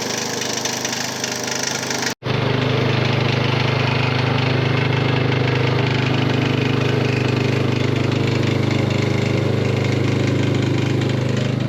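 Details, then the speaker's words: Hayter Harrier 56 Pro mower whose dirty carburetor needed carb spray to start: the engine runs steadily with a loose knock about twice a second, from a rattling loose blade clutch plate. "yeah definitely some kind of knocking interesting"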